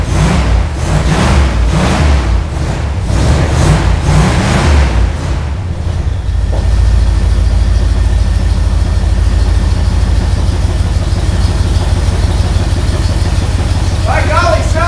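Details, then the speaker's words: Engine running after priming the carburetor bowl; owner suspects it isn't getting fuel up, possibly a stuck needle: uneven, surging revs settle into a lumpy, stumbling idle that never smooths out. Rough running from fuel starvation. "like it might do all right I don't know that it's getting fuel up kind of acts like it's not"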